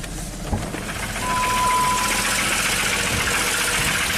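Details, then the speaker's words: 2002 Jeep Grand Cherokee 4.0L inline-six, crank no-start after many parts and an engine rebuild, first start with pedal to floor, blue smoke, no cam signal; loud uneven lumpy run with rough clatter, sounds like a diesel, won't rev up, cause unclear. "Woo! Sounds terrible, but it runs. Amazing. Oh, there you go. Really doesn't want to rev up."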